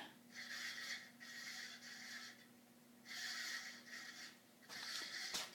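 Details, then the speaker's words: 52-inch second-generation Fasco Charleston ceiling fan, stack motor, on medium: steady low hum under repeated hissy surges; owner suspects the bearings or the capacitor but cannot pinpoint it. "listen to that i don't know if that's the bearings or what or the capacitor i can't really pinpoint it"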